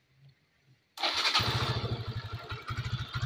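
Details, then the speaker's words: Yamaha Xeon 125 FI scooter after engine reassembly, restarted: starter catches within a second and settles into a quick, even idle with a smooth injector sound and no knocks; normal start and idle. "halus itu suara injektor"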